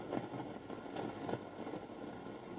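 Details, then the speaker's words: 1969 Telefunken Gavotte 201 tabletop transistor radio powered up on a bulb limiter at about 186 V, testing the tuner: steady hiss with faint swishes as the dial moves and no station; possible antenna break suspected, unconfirmed. "not much damn nothing huh so I do think that we're gonna have quite a bit of work here"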